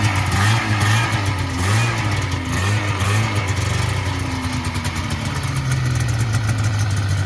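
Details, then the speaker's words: 1980 Yamaha SS440 Exciter snowmobile two-stroke, revived after sitting about 20 years, fuel primed after a cracked fuel line, throttle still a little sticky; it burbles steadily, then climbs and falls with each blip, firing cleanly without misses or rattles, running healthy. "so she started it up she was running good um so I guess I'll set you guys down and we'll get her started up for you here and show you guys how well she's right"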